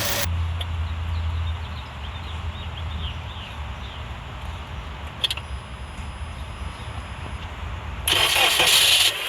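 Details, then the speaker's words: At idle, comparison pump with no problems: steady even low hum, no whine or groan, a healthy power steering pump. "let's compare it to a power steering pump let's compare it to a pump that has no problems or any type of"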